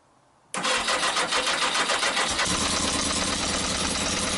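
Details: Yamaha XJ900S on first run in 10 years: engine fires abruptly, then settles into an uneven idle with irregular popping pulses and spitter-sputter from the pipes, smoking. Rough sputtering idle.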